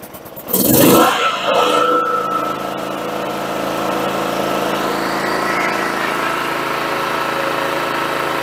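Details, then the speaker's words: John Deere GT262 lawn tractor after carburetor work, everything reconnected: engine catches after short crank burst and settles into even steady low idle with no knocks or misses; runs well. "sounds pretty good hell I might not have to do anything hope you guys around thank you sir running a low idle that's good"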